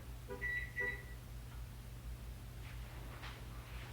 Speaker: It keeps beeping. I don't know why it's beeping. [snorts] It keeps beeping. I don't know. There's no reason to beep.